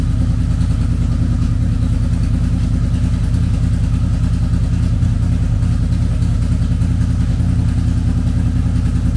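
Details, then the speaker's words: Wrecked 2006 Honda VFR800 V4 auction motorcycle, first start with broken inner clutch basket and no clutch, clutch push rod not installed so oil leaks past the slave cylinder seal; steady even low burble, regular firing, no knocks or misses, idling fine. "Yeah, so I need to regroup. It runs, but it's leaking oil out because I don't have the push rod in for the clutch, and it's pushing oil out the seal where the where the slave cylinder's at."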